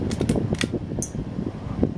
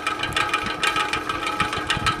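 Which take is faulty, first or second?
second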